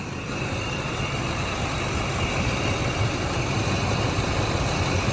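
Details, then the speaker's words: Ford F150 5.4/4.6 2V V8 with code P0307, idling loud, low and lumpy, stumbling now and then as cylinder seven cuts in and out on the ignition tester; misfire from failed ignition coil, fixed by replacing the coil. "so if i put this on number seven you see that it comes in and out that right there is telling me that it's got a misfire"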